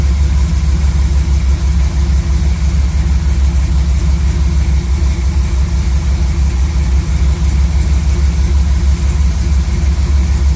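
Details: Chevy C10 V8 truck after installing a new Maxpeedingrods Quadrajet carb: deep, steady idle with an even low lope and no knocks or misses. Idle was turned up quite a bit and mixture adjusted to about 15 in of vacuum. Normal idle.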